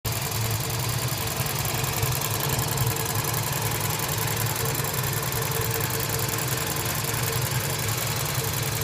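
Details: Toyota Voxy 1AZ-FE at 300,000 km, slight white smoke: steady idle with a fast even ticking knock in time with engine speed; abnormal internal knock, cause not pinned down.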